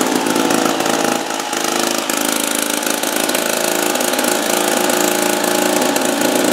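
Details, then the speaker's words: 1950s two-stroke lawn mower, apparently Wheel Horse (Dunlap name, horse head on the engine), running after 10 years stored on a wall. A loud, steady buzzing two-stroke note holding an even speed without stumbling; running smoothly and normally. "So, we got it running, 10 years. Like I said, I didn't try to start it ahead of time."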